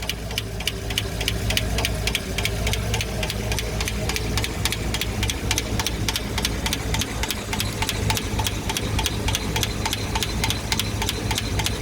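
Fast, even light ticking, about three or four per second, over a steady idle; sounds like lifter or valve train tick. Cause suspected, not confirmed.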